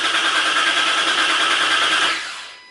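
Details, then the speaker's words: 2005–06 Ford GT after an oil and filter change, throttle pressed to the floor and cranked to prime oil through the empty filter: fast, even starter whir at steady pitch, then spinning down, with no grinding or clicking; normal cranking. "They want you to use the starter motor to pump oil through before you actually start the engine up."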